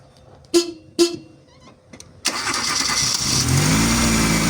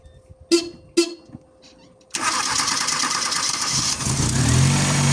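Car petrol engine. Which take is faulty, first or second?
second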